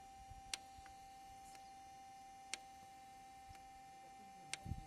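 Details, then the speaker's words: 2014 Kia Cerato that cranks but won't start and had overheated: intake bank 1 oil control valve driven by scan-tool actuation test gives sharp single clicks; solenoid fires electrically but inner valve doesn't move, sludge-clogged; VVT oil control valve stuck, to be cleaned. "نسمع صوت السولينويد كهربائيا لكن ما يتحرك من جوا. بلف داخلية ما يتحرك."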